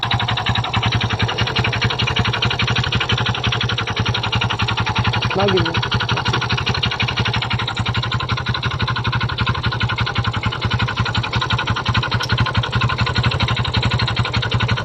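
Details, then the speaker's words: Kymco Visar 110 scooter engine running with exhaust removed, loud harsh running with rapid knocking clatter from inside the engine; clutch is the usual culprit on Kymcos but mechanic doubts it, cause unconfirmed. "Ang problema ng kanyang motor guys ay nagkaroon ng ingay sa pandalin natin para marinig niyo kung saan banda nanggaling ang tunog ng kanyang makina."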